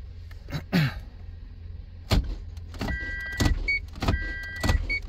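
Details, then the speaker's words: Toyota MMT (Aisin semi-automatic gearbox, P0810) clutch actuator after clutch replacement and grinding of the bush, real-time test: short smooth motor whirs with light clicks, no grinding or stepping; clutch pulls very easily, actuator working normally. "how much too easy pulling the clutch very easy and in this the clutch actuator will work in very good"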